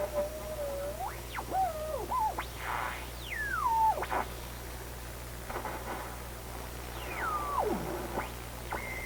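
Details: Recently restored 1934 Atwater Kent 944 tube radio on checkout, dial near 1500 kc: sliding whistles sweep up and down over low hum as the dial turns. Heterodyne squeal on every station; alignment suspected, not confirmed.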